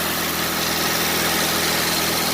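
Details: Mitsubishi Lancer Ralliart after no-start repair (no power to injectors); even, steady idle with no stumbles, dips or hunting; engine healthy and settled.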